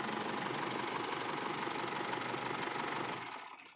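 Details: Isuzu Altera diesel with hard starting and stalling: uneven chugging at about four pulses a second that sags and dies out; stated cause is a defective fuel filter and suction control valve.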